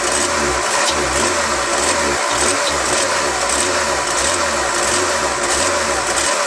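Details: Mercedes C36 AMG M104 engine, cold, idling about 1500 rpm with some misfire despite rewired throttle body and new overvoltage relay: fast, slightly uneven lumpy idle with steady hiss; high idle, rough running, cause unknown.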